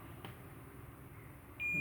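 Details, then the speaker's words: Intel H61 motherboard with no power, VRM section shorted: multimeter in continuity mode, red probe on drain, black on gate of an N-channel MOSFET, gives a steady high beep, a drain-to-gate short meaning the MOSFET is bad. "नाली से gate तक छोटा। यहाँ हम सीधे-सीधे बात करते हैं। मुझे बीप की आवाज आ रही है।"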